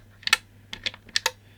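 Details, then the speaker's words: Wi-Fi controlled UK USB socket outlet during teardown: crisp paired relay clicks with each press in a quiet room, switching off and on cleanly; USB and electronics stay powered permanently. "then we can obviously turn that off better yes it does seem to actually turn on off"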